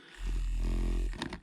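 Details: Foot warmer and massager, massage function under repair, small vibration motor powered directly: low coarse buzz about a second then cut off; motor spins freely and runs normally.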